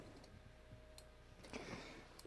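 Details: Motorino XPH scooter, ignition on, turn signals and hazards off, after the batteries were reinstalled (one had been wet): sharp, dry flasher-like ticks about every 0.7 s. Red warning lights are on; owner suspects a fault.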